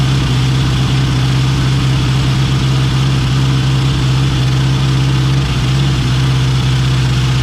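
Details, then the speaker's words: K24-swapped AWD Honda Civic with built turbo engine, after starter replacement; warming up while cooling system bleeds, front axles not yet in: steady, even low idle, smooth hum, no ticking or misses — normal idle. "Actually started it, let it warm up a little bit, and let a little bit of the cooling system bleed."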